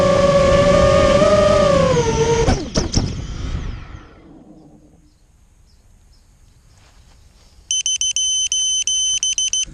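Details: Immersion Vortex 250 Pro motor test run after trying to fix bad bearing sounds: a steady high whine spins down cleanly with no grinding or rattle, then the controller beeps, so the bearings sound quiet now. One motor is barely warm and the rest feel good.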